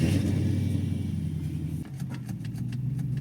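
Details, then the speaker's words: Infiniti Q45 on test drive after axle repair for clunking and clicking axles: engine runs steadily, then dull thud and sharp clicks when shifted into drive; clunk source unconfirmed, seemed fine after further shifts. "I put this thing into drive just now because we're going to go take it for a quick test drive and it made a clunk sound"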